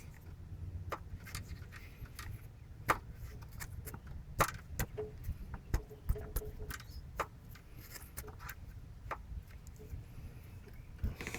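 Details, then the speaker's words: 1993 Volvo 940 Turbo B230FT with head off for head gasket: piston rocked by hand gives irregular sharp metal clacks, piston slap heard at cold start that fades as the aluminum pistons expand when warm. "but there's that noise everybody probably has to start up. It goes away as the car heats up. Obviously the pistons expand because they are aluminum and the block is"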